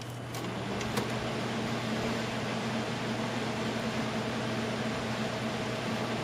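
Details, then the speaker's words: Scythe Susanoo CPU cooler with four 100mm fans switched back up to high speed: steady even rush of air with faint low hum, no ticking or rattle; normal high-speed fan noise. "If I turn it up to maximum, there is a fair bit of fan noise then."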